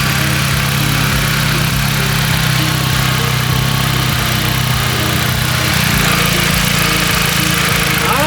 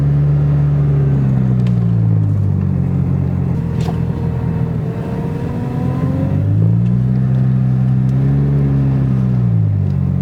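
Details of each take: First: Jeep after a second power steering pump replacement and air bleed, wheel turned at idle: a steady, even idle with no rising whine, only the small normal groan of a working system; steering sounds healthy. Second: Jeep while driving, power steering pump bad again after a previous replacement: engine note rises and falls with a thin whine swelling while the wheel is turned; noise only occurs when turning while driving.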